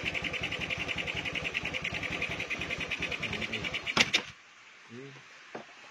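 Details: Honda Beat scooter with a standard engine, fitted with a PE24 carburetor during needle and air-screw setting: lumpy, uneven idle pulsing about three to four beats a second, then it dies; the mixture is running too rich.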